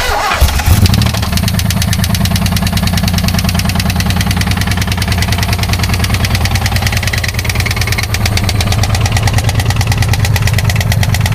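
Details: 1986 Pontiac Fiero SE 2.8L V6, 4-speed manual, run out of oil from leaky valve covers: cranks and starts, then loud, rapid, steady bottom-end rod knock; teardown found two rods missing bearings and four more spun.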